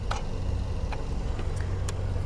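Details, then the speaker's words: 2022 Hyundai Palisade with a no-crank on push-button start and no codes, starter relay activated with a DITEX RelaySim Pro: a few sharp irregular clicks over a low hum, and the engine never turns over. The starter is trying but not cranking; cause not confirmed. "so I can actually hear the starter down there trying to do something interesting"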